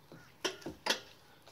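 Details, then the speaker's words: 2014 Ram 1500 Crew Cab N-FAB step bars, about two years old, rattling while driving: sharp, uneven metallic clicks as the bars' mounting brackets knock together; mounting bolts were checked and not loose. "all right you two today we're gonna take a look at fixing my n-fab step bars I've had them for a little while now they rattle"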